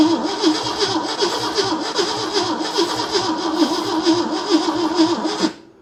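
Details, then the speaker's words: 1971 AMC Gremlin sitting since about 1984–85, brake cleaner sprayed, starter smoking: long steady starter grind about two turns a second, no firing pulses, then drops off; extended cranking, no start, weak spark suspected. "All right, let me let the starter cool off. Spark may just be weak."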